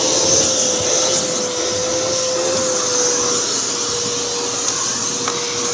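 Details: V H2O Turbo canister vacuum with four-speed motor, run at higher speed: steady high rushing airflow with even motor tone holding pitch, no rattles or surging; normal running.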